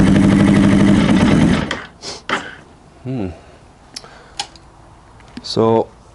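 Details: Honda CB600F with cylinder two misfire, run on choke, throttle nearly open and brake cleaner to separate ignition from carb fault: catches and runs ragged under two seconds then dies; faulty spark plugs suspected.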